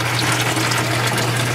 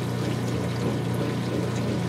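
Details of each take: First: Whirlpool direct-drive washer whose water remains after the roughly two-minute neutral drain: a steady low pump hum under heavy gushing, splashing and churning as the drain backs up and spurts from the blocked hose end, an abnormally strong stream. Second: Whirlpool direct-drive washer with the drain hose pointing toward the back: an even, steady rush of water with a faint low pump hum underneath. A little sound remains, but this is a normal drain.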